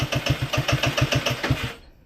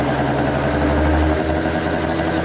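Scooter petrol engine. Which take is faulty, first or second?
first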